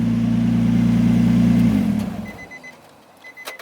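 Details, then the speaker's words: Nissan 350Z on stock exhaust, idling, shut off before getting too hot: even steady burble with smooth regular pulse; runs clean. "that sounded pretty good just put some muscle in there man"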